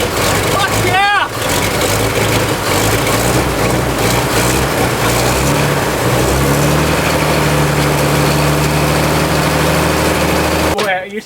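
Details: Barn-find fire truck engine that had not run in about 20 years cranks, catches and settles into a deep, steady idle with even low rumble, smoke from exhaust; runs well.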